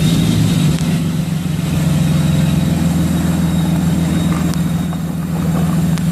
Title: 6.7 Cummins turbo failure